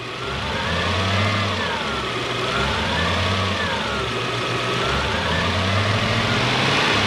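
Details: Toyota Soarer (Lexus SC400) 1UZ V8 heard from inside while driving, window down: revving with an uneven, stumbling beat breaking rhythm; injector misfire; engine misfire.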